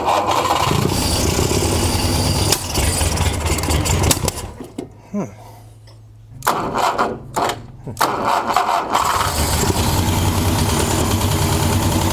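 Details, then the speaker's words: 1960 Mercedes-Benz 190B, parked since 1972, after distributor and plug wire correction: cranks and catches, dips and nearly dies, restarts, then settles into a steady, even idle with no misses or knocks. "oh you got it so sounds pretty good sounds good yeah real good"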